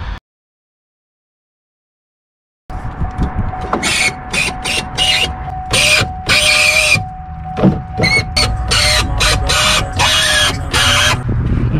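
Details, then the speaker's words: 2005-2009 Saab 9-7X/GMC Envoy power window, already sprayed with silicone: a steady high squeal through the window's travel with knocks; source uncertain (motor, regulator or channel) before motor and regulator replacement. "now i am interested to see why it's squealing so bad i want to know if the squealing's coming from the motor or coming from one of the blades"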